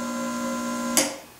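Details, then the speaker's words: RC-1AU universal battery charger with power intensity turned up: steady low electrical hum with clean overtones, ending in a click; normal hum showing the battery is taking a charge. "see here if we turn up the power intensity you can hear a humming sound that's normal that's indicating that it is taking some kind of a charge"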